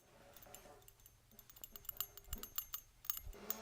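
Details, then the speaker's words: Keihin butterfly carburetor (1976-1987 Harley) being rebuilt: after ultrasonic cleaning, shaking the body gives a crisp, light clicking as the diaphragm pump check valve ball moves freely in its seat, cleaner-sounding than before; clean, free check valve. "Hear it? It sounds better, right, than the one that I was playing with before. It's crisper. You can just hear that ball is all clean and happy in there."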